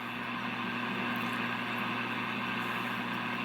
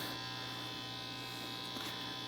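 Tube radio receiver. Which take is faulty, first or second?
first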